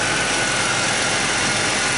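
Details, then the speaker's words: Ford Taurus 3.0L OHV after intake and timing cover gasket replacement, flushing the engine with water after vinegar cleaning: steady, even hissy idle with water running nearby, no knocks or misses; running nice and smooth, smoke from spilled oil burning off. "As you can hear, it's running nice and smooth."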